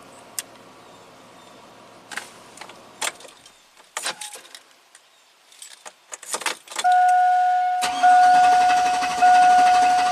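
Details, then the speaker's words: 2000 (or 2003) GMC Sierra 1500 5.3 LS V8, restart tried immediately after shutoff. Starter spins with an even whirr for seconds but the engine never catches. It starts only after waiting about 15 seconds for the computer to sleep. Cause unknown. "so I shut it off and if you try to restart it right away nothing right"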